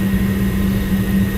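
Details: Lennox commercial rooftop unit after replacing a faulty gas valve, run in service test heat stage one: steady low roar with a constant hum, no popping or rumble; burner lit and firing cleanly, gas pressure still to be checked with manometer.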